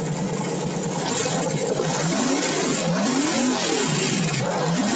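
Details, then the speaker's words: V8 on pump E85 with a CSU blow-through carburetor, no choke, now warmed past 150 after a cold start: fast, even idle with pitch drifting gently up and down, fuel burning smoothly and cleanly; normal warm idle. "Once that cylinder gets to the correct temperature, just nice, smooth, even burn."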